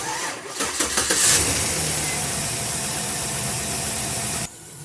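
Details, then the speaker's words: 2008 Chevy Silverado 5.3 V8 started for a spark test with a tester on cylinder 7's plug wire: idles with an uneven, slightly lumpy beat; scan shows cylinder 7 misfire; spark present, so coil pack ruled out, plug next. "I have scanned the truck we do know it's misfiring on cylinder number seven but we don't know if it's an injector a cool pack or a spark clo"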